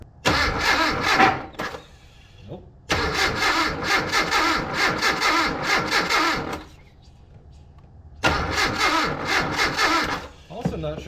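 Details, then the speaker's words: Abandoned Datsun 720 King Cab 4x4 pickup that sat about 20 years; cranking after ignition work (weak spark traced to ICM). Three harsh, uneven cranking bursts that never catch; starter sounds terrible, battery nearly drained. Failing starter motor. "I murder the starter sounds terrible I murder the battery don't know now what"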